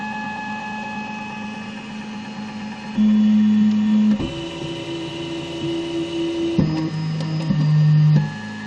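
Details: One-month-old Zortrax M200 3D printer, cold: the Z axis makes a loud, rough, scratchy buzzing that changes pitch with speed, louder on firmware v0.0.7. The noise disappears once the printer is warm.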